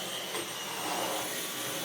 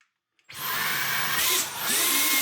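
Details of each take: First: Dyson V12 Detect Slim Absolute cordless stick vacuum, which had been clogged and kept pulsing and cutting out, vacuuming carpet after clearing and now working and picking up dust: steady high whirring suction, even airflow, no surging or cutting out. Running normally. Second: Dyson V12 Detect Slim Absolute cordless vacuum, heavily clogged, after emptying dust: motor whine surges, dips and surges before fading out; pulsing and cutting out, filter suspected, cause unconfirmed.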